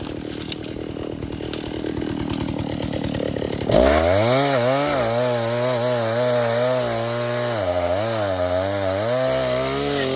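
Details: Vintage 1960s Stihl 08S chainsaw, close to 60 cc, with chain brake, cutting dead ash firewood: low, slightly uneven burbling idle, then a strong steady tone under load; lots of torque, runs good, normal running.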